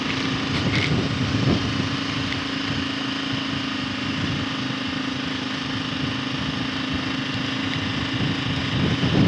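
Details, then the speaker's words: KLR single-cylinder riding in second gear with air box mod: steady drone over wind with no rattle or tapping; timing chain rattle gone after servicing the doohickey and balancer adjustment. "I'm not hearing that sound I was with the doohickey anymore, so that's great."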